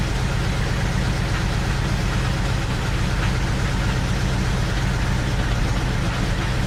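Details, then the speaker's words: BMW X5 first start after over a month, intake manifold removed and fuel lines disconnected: deep rumble with a slightly uneven, shaky beat and no clear knock; rough idle, attributed to disturbed fuel trims, later steadies. "okay it's running a little Rob I lost your food well that's normal running a little rough shaking a bit not doing great but running moving out a little bit"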